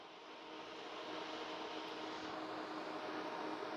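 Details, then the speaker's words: Data General microNOVA computer with replacement cooling fans fitted: smooth, even airflow hiss with a faint steady high whine and no buzz or rattle, much quieter than the original fans with good airflow. Normal fan operation. "They're actually so much quieter. I can now hear like a small high-pitched wine."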